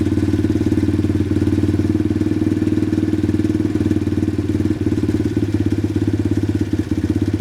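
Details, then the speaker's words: Pit bike single-cylinder engine after turning the idle adjustment screw counterclockwise: idle flattens into a slow, uneven, low sputter near stalling, showing the idle speed is set too low. "see how it flatened down significantly and it's just a low kind of sputter that means we're a little bit too low"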